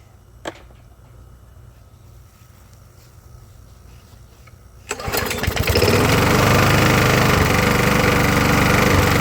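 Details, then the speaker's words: Briggs and Stratton push mower, about 20–25 years old, after carb clean, new carb gaskets and new head gasket: fires and runs but still misses and never comes up to full RPM, down on power. "Well, I can still hear it missing. Uh, it is a 20 25 year old push mower. I don't feel that it's coming fully up to RPMs."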